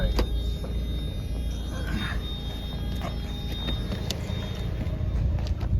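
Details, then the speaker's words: 1994 Mazda Miata driving after winter storage: low rolling rumble with irregular light slaps and rustles from a glue trap it ran over, caught in the wheel well. "okay we caught something we caught a miata and ran over a glue trap whoopsies that's gonna hurt oh that's gonna hurt hear the glue trap in the wheel well whoops"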